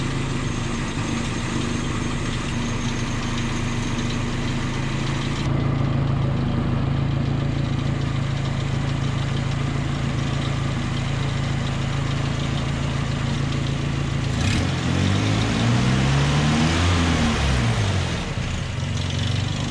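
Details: 1988 Nissan D21 pickup petrol engine idling with a low, steady hum and even pulse, no stumbling or misfire; rough idle previously repaired via a vacuum line.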